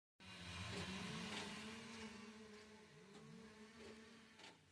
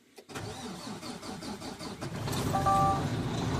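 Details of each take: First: 2022 Mack Anthem truck diesel: starter cranks steadily about two and a half turns a second but never fires; crank no-start, lost fuel prime. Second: 2022 Mack Anthem truck diesel (MP8, same as Volvo D13) with a crank-no-start, after pumping the fuel primer bulb until stiff: brief cranking, fires at about two seconds and settles to a steady, firm idle; clean start.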